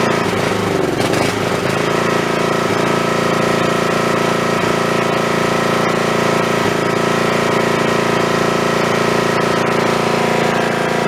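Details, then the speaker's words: Snapper 3081 mower that died mid-mow, throttle up, in neutral, with a known-good snowblower spark plug fitted: loud, uneven beat that stumbles, misfires and backfires, never settling; owner suspects failing ignition coil/magneto. "well that don't sound that good uh that sounds to me like that I took that spark plug out of my snowblower and it was running fine tonight last time I ran that so I'm gonna say that probably that coil is going bad"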